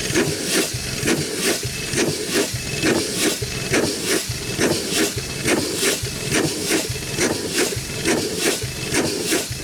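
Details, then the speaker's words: 100+ year old Chicago Pneumatic steam engine/air compressor, first run in decades, compressor head off: slow even chuffs about once a second, each with a loud steam hiss; runs well but packings leak and need adjusting. "okay folks running good welfare I guess it's uh good as we could ask for except as long as it did gonna need some packings and uh probably just some package adjusted and stuff too"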